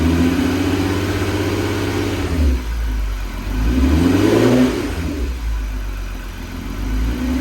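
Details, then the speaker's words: VW MK6 GTI 3.6 VR6 after rod bearing repair, running ATF flush, loose camshaft sensor ground fixed: even idle swelling into gentle rev blips, no knocking; idles better than ever. "so now it's idling really nice uh honestly it sounds better than it ever has"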